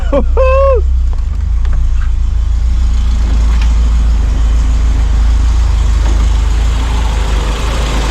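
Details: Peugeot 205 GTI, first start of the fully rebuilt engine. After a brief chirp at start-up it settles into a steady, even low idle rumble with no knocks or misses; normal idle.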